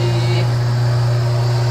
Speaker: we're running real good no leaks [Music] anywhere looks real good sounds good